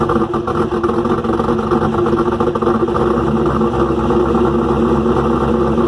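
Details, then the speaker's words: Restart of freshly rebuilt engine "Promise" at idle: busy, clattering top-end rattle over a loud exhaust. Valve train is far noisier than the new lifter package should make. Owner suspects unmeasured, too-long pushrods and is ordering new ones. "i'm hoping that's what the issue is because the valve train is making a ton of noise i know i pushed it with the um push rise that i was getting i didn't measure it"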